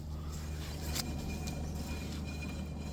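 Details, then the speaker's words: Ford Fiesta on stands, driver-side rear wheel spinning: low steady hub hum with slight brake drag, no rumble; bearing fine, unlike the rumbling passenger-side rear. "Driver side doesn't sound too bad. Still the brakes catching very slightly, but there's no rumble."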